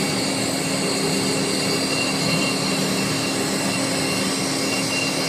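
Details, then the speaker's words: Hand-cranked crude radius cutter putting a radius on the Volvo axle part: continuous even hiss with steady thin high tones, no chatter or squeal; clean, smooth cut matching the original. "well sounds pretty good good that looks about like what was in there"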